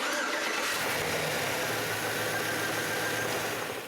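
Engine catches quickly and settles into a steady, even run with no knocks or stumbles; a normal, healthy start.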